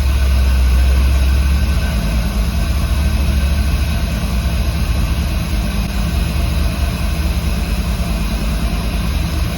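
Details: 1964 Ford F100 restomod with 6.0 L96 LS V8, Holley Hi-Ram and Terminator X, first start after wiring and installing an oil pressure gauge: deep even rumble, no knocks, ticks or hunting, no oil leaks seen; normal idle.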